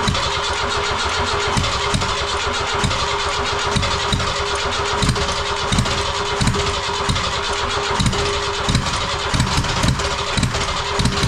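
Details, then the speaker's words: Ford Transit 2.5 diesel, first start after engine reinstall, with quick-start spray and rebuilt starter; starter churns about two even beats a second for ten seconds without catching. Cranks too long; owner suspects old rubber fuel hoses near tank, not confirmed. "тобто він запускається все але довго прокручує стартева не зпівпенька так як він повинен запускатися"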